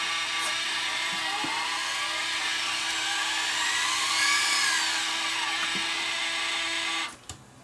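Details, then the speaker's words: Sony DSR-11 DVCAM deck, case open: thin piercing screech over steady hum, swelling higher midway, in fast forward/rewind; owner suspects a bad bearing, source not yet found. "something is just screaming there a bearing or something's bad somewhere in there"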